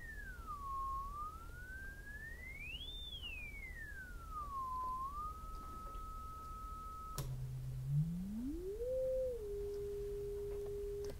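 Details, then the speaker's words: Zenith 707 vintage radio, unpowered with the field coil not energized and magnets on the electrodynamic speaker, while a modulated audio signal is injected across the output transformer primary. A clean sweeping tone with no buzz or rattle shows the speaker and output transformer are healthy. "again that would indicate that the loudspeaker itself is in good health that being the output transformer back over to the voice coil itself"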